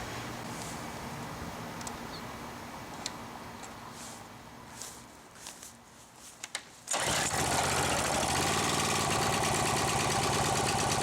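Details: Craftsman 580.767450 pressure washer with Briggs & Stratton 6.75HP OHV engine, after repair and bleeding air from the pump with the hose connected: catches at once and settles into a smooth, even, steady run. Normal running.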